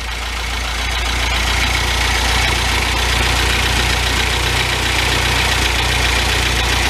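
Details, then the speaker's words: 1984 Toyota Celica GTS after cylinder head and gasket work; engine started remotely idles steadily with a fairly even low pulse, slight roughness left, a little better and not quite as cranky as before. "then there's that a little better not quite as cranky"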